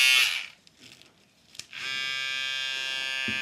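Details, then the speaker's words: Trimmer fitted with blue Miyoko blades (sold as BRD): after a click, an even high-pitched buzz with a clean, unwavering tone; quiet, normal running. "Bastante silencioso, mi gente, y este trimmer es el que trae cuchillas azules de la marca Miyoko, que lo pueden encontrar bajo la marca BRD en AliExpress."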